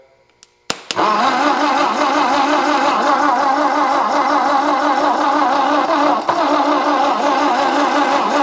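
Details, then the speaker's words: 1964 Ford F250 with 223 engine, first start on jumper cables: cranks, catches and settles into a steady run with a slightly lumpy, uneven beat; compression is messed up, but it runs and doesn't sound horrible. "Well guys, I don't know what I proved for sure. It's got some messed up compression, but it runs, doesn't sound horrible, and it's gonna probably go out of my shop."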